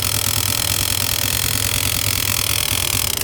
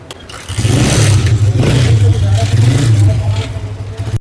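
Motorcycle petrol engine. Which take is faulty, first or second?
first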